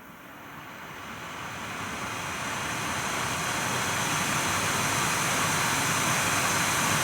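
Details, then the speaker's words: Nvidia GTX 980 reference blower card in a Dell XPS 8700, fan raised from 1,100 RPM to 100% reaching 4,200 RPM, microphone at the card: loud airy rush climbing then levelling, no rattle or ticking; normal fan at full speed. "Alright, 100% got me 4,200 RPM. Now, I don't know if this varies from card to card, but on my card, this Nvidia reference card, it was 4,200 RPM at 100%."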